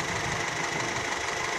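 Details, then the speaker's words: Older car engine during a 5–10 minute warm-up; idles evenly with a light steady tick, no heavy knock or hunting; sounds fine. "kita periksa-periksa radiator kalau Go yang bocor suaranya masih oke ya oke jos"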